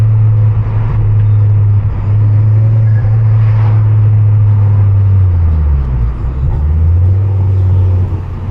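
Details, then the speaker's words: Ford Focus XR5 Turbo, about 100,000, after new coil packs and RS spark plugs fixed a misfire, driving under load: strong steady drone, smooth downshift, pops, bangs and turbo flutter, no stutter or misfire. "Makes all the right noises. Heaps of pops and bangs. All the turbo flutter you could want."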